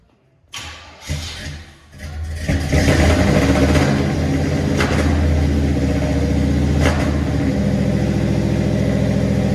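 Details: 1981 Delta 88 with transmission swapped and new header and collector gaskets, battery just connected: brief cranking, then catches into a steady, even idle with smooth low firing and no ticking or puffing exhaust leaks. Normal idle.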